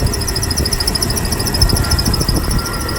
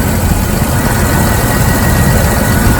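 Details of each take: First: 1998 Jeep Wrangler TJ idling: rapid high-pitched squeaking chirps from the worn distributor assembly, persisting with belt removed; belt, pulleys and accessories ruled out; temporary fix before replacement. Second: 1998 Jeep Wrangler TJ with a squeak traced to the distributor, after a temporary fix of oiling the distributor shaft. Even, smooth idle hum with the squeak gone. Normal idle.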